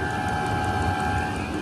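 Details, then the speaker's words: Vevor 8 kW diesel heater running indoors with the intake inside and the exhaust out a cracked window: steady whooshing roar and constant hum, mostly intake noise; normal running. "You know, and actually, as I sit here and play with it a little bit, a lot of that noise that you're hearing in here is actually from the intake."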